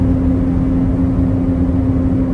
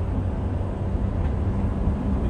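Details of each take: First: 2007-2009 Honda CR-V at highway speed: steady droning wind-up hum like a plane over road noise, with grinding when spun fast; worn rear passenger-side wheel bearing, fixed by replacement. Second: 2007 Honda CR-V on a freeway test drive after replacing the rear passenger-side wheel bearing: steady low tire and engine rumble at cruising speed with no rising hum or wind-up drone; normal road noise, the fix worked.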